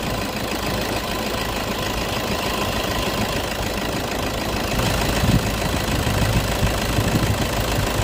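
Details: Toyota at idle: steady idle, then the AC compressor kicks in with a slight lift in tone and runs evenly, no grinding or squeal.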